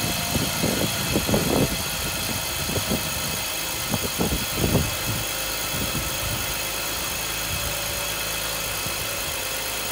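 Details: 2005 BMW 325i E46 M54 engine after replacing the cylinder 6 ignition coil for a P0306 misfire and rough idle: after a few knocks from handling, idle settles into a smooth, even hum with no stumble or shake; normal idle.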